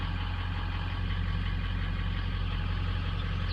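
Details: 2003 diesel with a VGT turbo, cold start with a data logger connected: a low, steady idle pulsing about 200 beats a minute with no stumble; cylinders 7 and 3 had just cleared up and it now idles smoothly.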